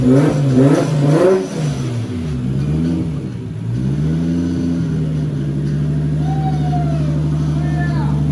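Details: 240 with newly installed stock 1GZ engine, restarted after an initial misfire cleared (owner thinks old fuel flushed out): swells through a few quick revs, settles to smooth even idle, no misfire or knock; sounds healthy.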